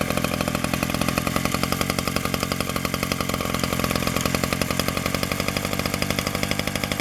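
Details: 1947 Danarm Junior Mk1 two-stroke chainsaw after full restoration (new bearings, coil, condenser; remade fixings; timing set), no fuel tank yet, only a drop of fuel in the pipe: crisp, rapid firing at steady fast idle, no misses or rattles; runs normally.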